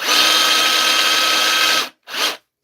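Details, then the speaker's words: Dewalt DCH273 SDS rotary hammer drill running free after a repair reassembly, and retried with another battery: a harsh, gritty whirr through the high whine, then two short bursts. Grinding inside; the drill likely needs reopening. "don't like the sound of her all guys might have to open it again what do you think I don't like a s that at all she's a about grindy sir"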